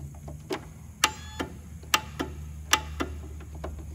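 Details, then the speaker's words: 13-year-old John Deere LT160 lawn tractor after a new starter solenoid: sharp single clicks about every second with no cranking. The starter had been turning slowly before, and the fault proved to be the starter itself, not the solenoid. "well we got the same problem so the starter was turning real slow it was going worm then it would start so i wasn't sure if it was the starter or the solenoid but solenoid was clicking"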